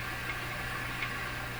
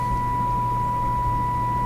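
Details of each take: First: Clairtone console stereo FM section: steady even hiss under faint low hum; weak FM signal too low to be limited, with discriminator transformer possibly off its sweet spot. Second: Clairtone console stereo FM section: a steady, pure test tone plays clean with only a faint low hum underneath after the FM discriminator/detector alignment was adjusted; the detector is aligned and plays properly.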